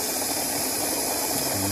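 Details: GM-style fuel pump module in a bucket test, feeding an external venturi jet pump, stabilizing after a few seconds: steady, even whir and hiss with no surging or stutter; pump running normally.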